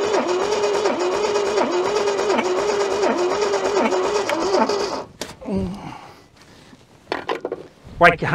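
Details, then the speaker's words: Junkyard Holden sitting for decades, no ignition wires left, fuel poured into carburettor, key on with throttle: even starter cranking about 2.5 beats a second for five seconds, never catches; suspected flooding, not confirmed. "I think she's flooding. Yeah, that's it looks pretty flooded to me."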